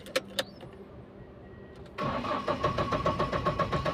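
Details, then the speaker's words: Mahindra Bolero MaXX Pick-Up diesel with code P0A0F-00, cranked after code clearing and coupler refit: starter churns steadily at about four strokes a second but never fires; crank no start, cured later by replacing a faulty sensor. "भी start नहीं हो रही तो अब क्या है वो भी देखेंगे"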